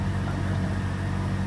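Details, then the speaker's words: Automatic car, cold just after start the day after adding transmission additive, temperature gauge low: steady even low drone, no knocks or ticks, running a bit fast; normal cold fast idle before testing engagement into D. "Dan RPM-nya juga masih tinggi ya, berarti tandanya ini mobil baru saja dihidupkan."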